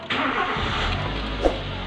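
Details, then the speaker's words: Nissan GX, QG16 engine, after repairing low fuel pressure and hard starting caused by a crushed fuel pump O-ring, improvised with fuel hose. A brief crank, then it catches cleanly into a smooth, even idle with no stumble: normal start. "Ayos. Suabe. Suabe. Parang nagdahilan lang. Okay na po."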